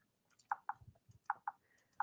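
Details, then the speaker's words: Brother embroidery machine screen, resizing a design without adjusting density: short paired electronic knocks near 1 kHz, three pairs about 0.8 s apart, alerting that the design has reached minimum size. "If you hear that knocking, that means that's as far as it's going to go."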